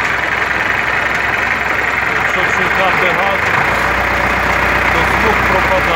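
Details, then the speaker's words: MTZ-80 tractor diesel at warm idle: loud, rough idle with uneven knocking about three or four per second, which the owner attributes to the intermediate support; quiet while oil is cold, ball bearings there already replaced, PTO shaft roller bearings not. "Ну і після того, як заводиш, поки холодніше масло не стукає, а як трошечки прогріється, то на холостих обертах бубонить проміжна опора, і то бубонить досить добре."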